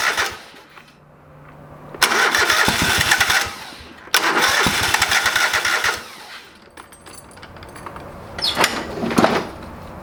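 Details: Old lawn mower's small engine just after a carburetor rebuild, with the bowl needing to fill with fuel. Two long cranking bursts with no catch, then a sputtering attempt; it needs repeated cranking. It eventually fired, but not right up. Hard starting.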